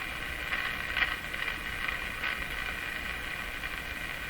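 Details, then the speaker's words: Canadian Westinghouse Model 684 tube radio after reworking the IF bypass circuit, at full volume on the broadcast and 9 MHz bands: only hiss and crackle, no stations. Owner thinks bad alignment is possible but unlikely. "Why are we not hearing a thing? New problem here."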